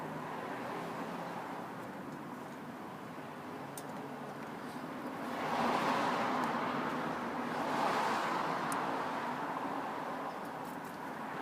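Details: 2000 Jeep Wrangler 4.0L: breathy rushing whistle from intake area swells twice then fades, intermittent; smoke test found leak at throttle arm bushing, owner believes air is sucked past the bushing but cannot pinpoint it.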